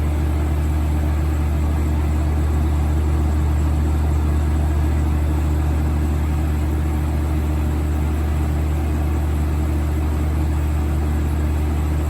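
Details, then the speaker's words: 1980s Super dehumidifier with R-12 refrigerant, final test after fan motor replacement, grille and bucket fitted: smooth steady low hum with even airflow, no rattle or grinding; getting cold already, compressor and fan running healthy. "here it goes [Music] oh yeah that's moving a lot of air [Music] [Music] that's getting cold already oh"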